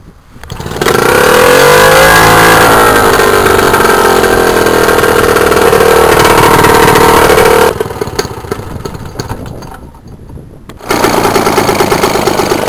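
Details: British Seagull 40+ outboard, circa 1965, 40cc single-cylinder water-cooled two-stroke rated at 2 hp, on 10:1 petrol-oil mix, first start in five years: catches within a second into a loud, even buzz, then drops back. Runs normally.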